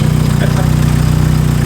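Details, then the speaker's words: SR20 four-cylinder in a 180SX bought as "blown up", first start after reassembly, cold, not revved, smelling of fuel: steady even idle with smooth low pulse, no misses or knocks; runs good, normal idle. "It runs good. There was no 2 tanks or anything."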